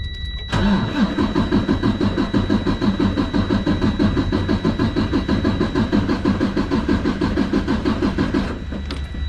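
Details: DD15 diesel with a bad crankcase breather, scan-tool compression test while cranking: steady cranking at roughly three beats a second with a slightly uneven rhythm. Cylinder 6 is at 95%, cylinder 4 at 97%, cylinder 1 is still low; possible head rebuild.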